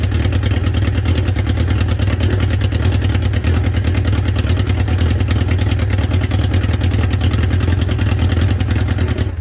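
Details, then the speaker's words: 1976 Honda CB550, first start after engine reassembly, no muffler and copper crush washers left off at the exhaust headers: loud, deep open-pipe drone with a high-pitched exhaust leak noise from the header joints. "engine fires but it's extra loud because in my haste i forgot to install those little copper crush washers at the exhaust headers so i reckon it's making that exhaust leak noise you know high pitch"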